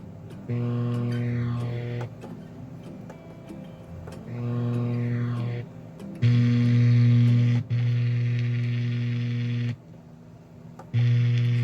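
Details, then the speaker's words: DOD FX7 guitar pedal powered by a non-original, unregulated transformer power supply; noise appears on distortion/overdrive, and an electric fence is nearby. A low, steady buzzing hum with no playing: power supply hum. "i guess it's the humming that's what they talking about like the the problem is [Music] i don't know if you can hear that one but [Music] it's making that sound on distortion or over"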